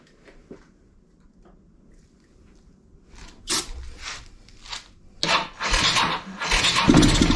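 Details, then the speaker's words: Kawasaki Bayou 220 ATV, sat eight years, seventh start attempt on starting fluid, no fuel tank fitted: quiet cranking then the single catches and sputters unevenly, won't keep running without fuel feed; carburetor and petcock suspect. "all right pretty sure it needs some gas it does you guys there's no gas tank"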